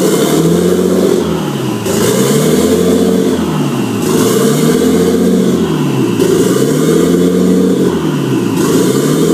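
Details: RB25 swapped engine: idle hunts up and down roughly every two seconds and never settles; rough, unstable surging idle.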